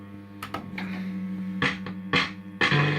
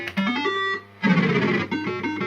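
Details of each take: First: System80 machine after running about half an hour, warm: choppy tone bursts then harsh, buzzy, crackling jingle; distorted sound output that is fine when first switched on, owner suspects the sound chip. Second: Second System80 machine with identical board and setup, used as comparison with the faulty one: clean, crisp jingle notes with no buzz, crackle or distortion; normal sound output.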